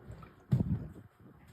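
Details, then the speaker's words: Hemi engine, part 2 of repair after head job: low gurgling coolant bubbles rising in uneven bursts at the radiator filler neck, phone held near the radiator hose, as air works out of the cooling system. "how do you hear bubbles well he's talking see you hear him if you put the phone up the rad hose people can probably hear it"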